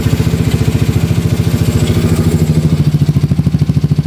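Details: Yamaha Mio Soulty scooter with a 59mm big-bore block, after the carburetor overflowed and it was hard to start, pulsing steadily at a fast idle, firing evenly with no misses; running properly.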